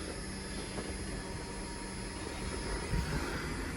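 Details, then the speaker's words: Nissan Juke race car, newly wired fuel pump on relay with 10-gauge wire, first test: even, steady hum with faint whine, no surging; sounds more powerful, normal fuel pump operation. "fuel pump oh yeah that thing's cooking now sounds like it's got more power to"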